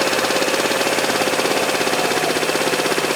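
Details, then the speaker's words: 2012 Piaggio Typhoon 125cc scooter, carburetor mixture screw being adjusted from 1.5 turns, turned in: small fast slightly uneven buzzing idle begins to sag; idle speed dropping from screw turned in too far. "Yeah, see, it's starting to slow down. Gonna go back out with it."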